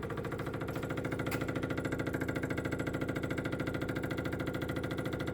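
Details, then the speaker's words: 1969 Renault R10 with 670cc Predator engine and newly fitted dual 24mm OKO carburetors fed through a T: the electric fuel pump is switched on and ticks steadily about twice a second while pressurizing the system, priming normally. "so this is the master switch and this is the ignition switch and this is the fuel pump switch oh yeah now you can hear the little fuel pump"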